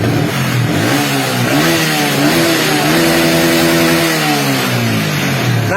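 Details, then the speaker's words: Yamaha Vixion motorcycle that previously bogged and stuttered with the lights on, after repair, started with a weak battery: revs up and down cleanly with lights on, no bogging or stutter; normal revving, charging system (stator and rectifier) checked. "Ketika saya blayar Pas lampu on juga sudah tidak ada ngempos ataupun berbet teman-teman"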